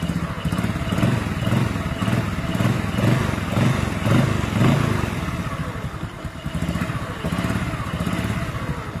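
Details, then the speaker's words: 125 motorcycle, cold engine, with new NPP cylinder block and Vario 125 piston fitted to cure cold tapping like a loose piston: steady, even idle with no ticking over the exhaust beat; normal cold idle after repair. "Lihat, Guys, suara tak-taknya hilang ya, Guys. Tadi kan ditarik gas ada ya. Nah, guys, sekarang sudah hilang."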